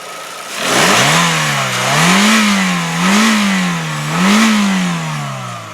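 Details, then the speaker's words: 2005 Chevy Aveo, E-Tech engine, revved in place: three clean throttle blips, revs rising and falling smoothly with no knocks, high-rev taps or valvetrain noise; healthy engine. "That sounds fantastic. You don't even need to be a mechanic to know that. There's no knocks, no high rev taps, there's no valve train noise."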